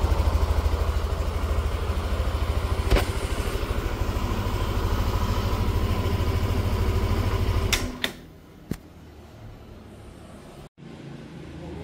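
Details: Yamaha NMAX Neo S scooter on Castrol Magnatec 10W-40 oil, cold start after about 30 hours unused: even, steady low putter at idle with no knocks or rattles before switch-off; normal cold idle.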